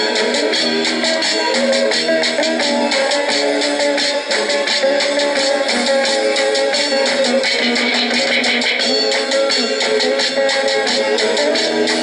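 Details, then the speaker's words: Norelco 1230 cassette recorder, roughly 50 years old, playing a tape at high volume; music full and steady with no warble, drag or gaps, tape speed holding; normal cassette playback. "okay there we can hear that it is indeed playing very well I say more than 50 years practically and it is playing quite well"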